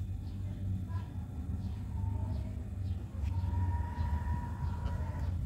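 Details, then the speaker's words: Chest freezer compressor that previously seized and would not start, now running after the overload/PTC repair with a reading of 1.2–1.3 (unit not stated). Steady low hum with a light buzz and no clicking; the compressor runs normally. "Dan kompresor pun sudah berbunyi nyaring. Kalau yang tadi bunyinya itu nggak begitu nyaring, sekarang sudah berbunyi, bertanda kompresor ini sudah jalan."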